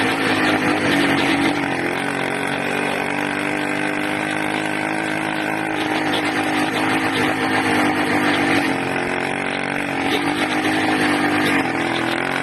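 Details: Loud, raspy 80cc two-stroke whose pitch wanders and surges every few seconds; owner suspects a carburetor or intake manifold air leak, unconfirmed.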